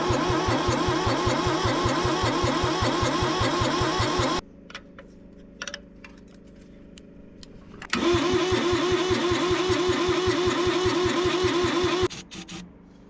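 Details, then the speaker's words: Kubota B6100 tractor, three-cylinder diesel, long non-running, new battery, glow plugs on 30 seconds, injectors bled: steady cranking in two long bursts with no firing; air puffs back out the intake and hisses, cause unknown. "Why are we not getting any attempt to fire here?"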